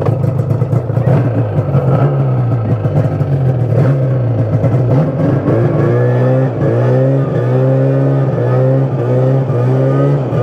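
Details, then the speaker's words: Yamaha Phazer 2 snowmobile two-stroke after a broken motor mount cracked the cases, leading to case swap, full engine, carb and clutch rebuild; no longer blows belts. Crisp revving, pitch following the throttle with no misses; normal running. "so uh a case swap turned into a full engine rebuild which turned into a leaky car bror slash I'm a dumbass and lost the parts but uh we now have a uh phaser that does not blow belts and runs pretty good"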